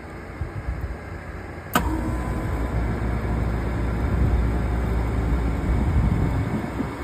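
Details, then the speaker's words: Trane unit in test mode after replacing a faulty RTRM control board: fan hum, then a sharp click as the compressor kicks in with a deep steady hum settling into an even run. Normal start, confirming the bad board. "So, now here's the moment of truth to see if I um diagnosed it right in test mode. fan on and the compressor should come on"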